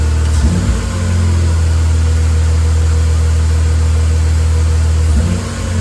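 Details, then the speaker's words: K20 Integra Type R idling in neutral on start-up after a new throttle body install: steady, fairly loud high idle that won't settle, with the idle air control valve wide open. "yeah that's the air out of control valve being wide open"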